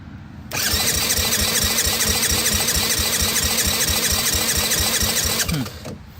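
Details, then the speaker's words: 1985 Yamaha Moto 4 80cc ATV: quick light cranking at about three pulses a second with a whirring squeal and no firing; it has spark and about 65 psi compression; owner suspects valves out of adjustment or no fuel reaching the carburetor. "This thing is spinning over fairly easy. Yeah, I got about 65 pounds, so I'm getting a little bit of compression. Not a whole lot."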